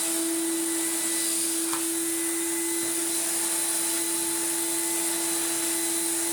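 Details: Refurbished commercial Numatic BX190 (BX.BX) vacuum cleaner with original single-pedal floor head: steady, even motor hum with smooth airy hiss, no rattles, surging or pitch wander; running well after restoration.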